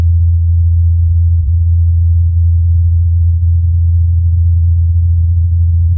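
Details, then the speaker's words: Ingenuity Mars helicopter's rotor blades humming during its fourth flight in Jezero Crater, recorded by the Perseverance rover's microphone; steady low drone holding one pitch, no wobble; normal rotor hum in flight. "Incredibly, during the helicopter's fourth flight, Perseverance recorded the humming of the blades."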